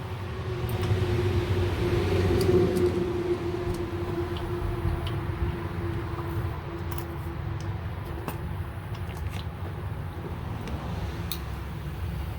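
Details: 1979 Fiat Spider 124: steady starter cranking about four turns a second, engine never catches; no start because the distributor's magnetic pickup failed, replaced as the fix.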